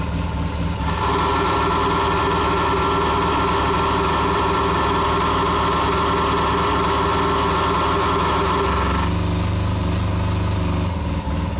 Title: RZR Engine Knock